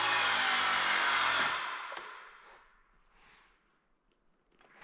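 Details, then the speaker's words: Cordless power tool used while laying bamboo hardwood flooring and trim, battery indicator flashing: motor whirs high then drops off and dies within about a second and a half, then silence; battery dead, motor running down. "the sound of the battery being dead. What? That's why it's flashing."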